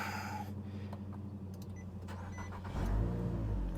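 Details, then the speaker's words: 2011 Nissan Altima that had a no-crank fault, where the button only lit the dash, after the repair: a few cranking clicks and rattles, then it catches and settles into a steady low hum; normal start, idle relearn possibly needed. "okay there is a success"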